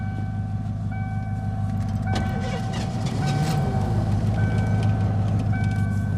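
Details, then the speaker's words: 1987 Ford Crown Victoria, sat during quarantine, low on fuel: rhythmic cranking about three beats a second under repeating warning chime, nearly catches but never runs; crank no-start, out of gas suspected. "I think it's out of gas. I think so too. It's out of gas. Technically started. It crunk."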